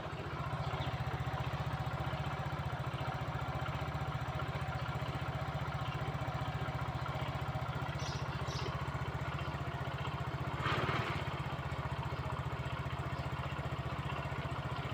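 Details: Fino 115i scooter that would not start due to low compression from leaking valves, after the valves were lapped and the head reassembled: a steady, even single-cylinder putter at idle with no misses or knocks. It now idles normally.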